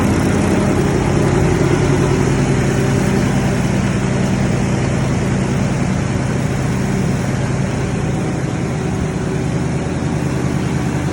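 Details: Ford Super Duty after fixing a no-start caused by a rotten wire: steady, even idle with smooth low rumble, no misses, knocks or stumbles; healthy.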